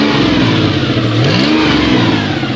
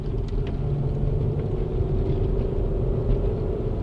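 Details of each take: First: Toyota 1MZ-FE engine at first start after bearing repair, warming to operating temp: revs rise and fall with loud raspy puffing and smoke at the exhaust manifold, no knocks underneath; an exhaust manifold leak. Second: Toyota 1MZ-FE engine after bearing repair for knocking, first drive in months, climbing a big hill under load: steady deep even pull, no knocks, ticks or rattles, knock sensors no longer kicking in; healthy engine.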